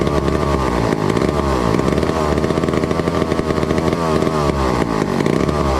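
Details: 1962 McCulloch 1-46 chainsaw, revived after lacking its carburetor and other parts: crisp, buzzy two-stroke picks up and drops back cleanly through several revs with no stumble; healthy engine.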